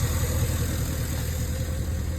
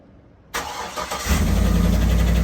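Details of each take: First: 2011 Cadillac Escalade 6.2L V8 with active fuel management, 178k miles, idling after Marvel Mystery Oil, Sea Foam, AFM disabler and hard freeway pulls freed a suspected stuck lifter; deep, smooth idle with no ticking, lifter tick gone. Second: 2011 Cadillac Escalade 6.2L V8 with AFM, 178k miles, day-two cold start after Marvel Mystery Oil in crankcase: steady fast idle with light rapid ticking; lifters still loud, AFM lifter tick.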